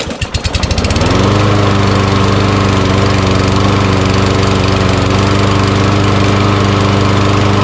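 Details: Auto-choke mower that sat in a shed all year and was given fresh gas: it starts on the first pull, catches within a second and settles into a steady, even single-cylinder run with no misses or knocks.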